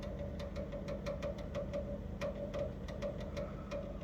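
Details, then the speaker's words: Electrolux GCB 11 Basic X Fi gas boiler runs loud "like a tractor": low hum, steady drone and irregular rattling ticks; the gas service said the circulation pump is failing, and it was replaced. "столкнулся вот с такой проблемой шумит котел как трактор"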